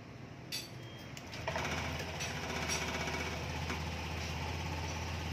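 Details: 2020 Honda Beat Street scooter after the oil and a worn part were replaced: a few clicks, then the engine settles into a steady, even low hum with no rattle or knock; normal idle.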